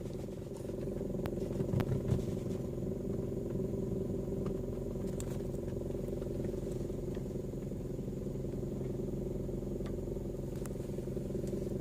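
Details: Toyota Vios engine running steadily with scattered, irregular faint clicks and clatter; the noise is intermittent, and a Toyota service centre could not locate its source.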